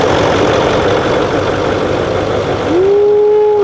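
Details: Nissan Titan 5.0L Cummins diesel after rebuild, first run to confirm repair: even idle with a soft steady patter, no knocks or misses, a brief whistle near the end; engine sounds healthy. Transmission leak still to fix.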